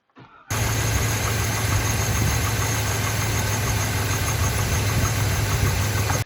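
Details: Chevy Trailblazer 5.3L V8, just after replacing intake manifold gaskets (fault caused lean codes P0171/P0174) and priming fuel: quick start then steady, even idle with smooth low burble, no knocks, ticks or misses.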